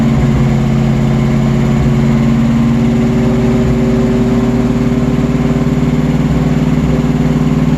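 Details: Old Ford Bronco, first cold start with lots of pedal pumping: long loud steady chugging about three pulses a second with no clean catch; hard cold start, cause not confirmed.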